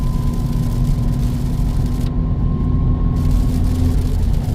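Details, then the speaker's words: FL5 Civic Type R driving in the rain: faint steady transmission whine over heavy low road rumble, carried through upgraded 72-hardness aftermarket engine mount and lower motor mount. "whine is from the motor mounts. Well, just from the motor mount and the lower motor mount from Ashport. It's a 72 hardness, so it's pretty streetable, but you do hear the transmission whine a little bit."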